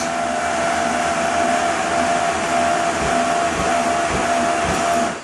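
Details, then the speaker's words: 2000 Lance 1010 truck camper electric jacks on 12 V battery power while unloading: even motor whine with a few dull thumps; owner suspects one faster jack at the bathroom corner is doing too much work. "so I I hear a little bump every once in a while and when I hear that bump I think one is doing too much work"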